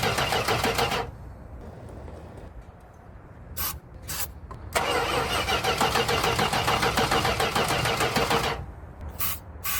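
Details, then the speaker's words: 1973 Chrysler Newport 400 cu in V8 junkyard car: starter cranks in bursts with brief uneven catches and a backfire but never runs; firing order doubted, cause still undiagnosed. "we did not get it running today but that doesn't mean that it's all over yet we still have a lot of work to do as far as now diagnosing a why this thing is not popping off"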